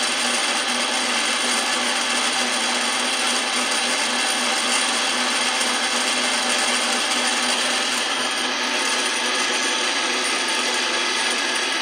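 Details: Old Miller spin dryer being repaired, wired with a jumper and a 25 capacitor: steady, even high whir with no knocking, scraping or surging; motor holds speed smoothly and runs normally.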